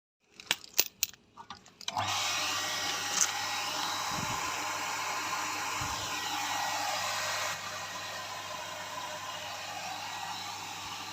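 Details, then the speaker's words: Water pump after repair: worn part behind rear motor cover replaced; a few clicks at switch-on, then smooth steady whir and low hum before stopping; pump back to normal operation. "หลังจากแก้ไขจนเสร็จเรียบร้อยตัวเครื่องก็กลับมาใช้งานได้ตามปกติ"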